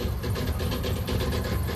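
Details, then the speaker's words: Van engine idling after cold start: rough, heavy idle with uneven low rumble and loose rattling, calming slightly when idled up; owner says it is a cracked flex plate. "It sounds really bad, but it's actually not that bad. It's actually just a flex plate that's cracked."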